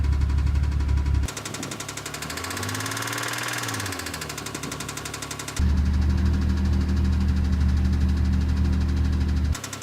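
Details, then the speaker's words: 2002 Isuzu Trooper LTD V6 at 140k miles, idling: regular deep knock about four per second; rod knock from oil starvation due to low oil level, and the engine was replaced. "the title of the video is probably already given it away but we're going to be talking about the rod knock that this engine has developed"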